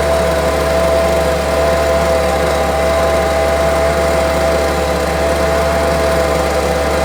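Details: Homelite UT08572, small two-stroke, tested outside after repairs: steady high idle, even unbroken note with no hunting or misfire, running firmly. Owner will check whether an earlier "tink" noise is gone. Normal running.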